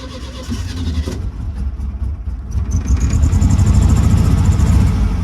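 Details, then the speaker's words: Air-cooled VW with a carburetor, tank driven dry: cranks, catches and runs a few seconds on the fuel left in the carb, then fades; fuel starvation from an empty tank. "That's just the fuel in the carb. But he will start. I don't reckon it's no fuel. We must have drove it until it was dry."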